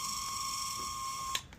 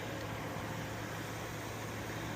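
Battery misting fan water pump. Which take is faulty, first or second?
first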